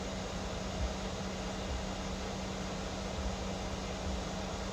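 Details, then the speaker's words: 2013 Mercedes GL550 (X166): loud steady low buzz from front right, AIRMATIC air suspension compressor running and overheating; fixed by replacing compressor and valve distribution block. "so when you turn it on it's just kind of got a buzz noise for a while I noticed it's coming from the front"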